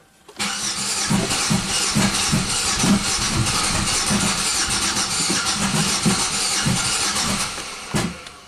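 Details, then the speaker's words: 1997 Buick Century 3.1 V6, upstream O2 sensor removed, transducer on cylinder 4: about eight seconds of uneven cranking with lumpy compression beats, and it never catches; compression still weird, timing problem suspected, not confirmed. Uneven cranking, no start. "not exactly what we expected uh the compression is still still weird so there must be a timing problem here"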